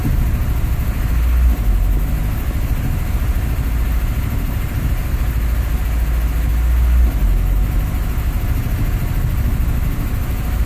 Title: 240sx Ka24e rough idle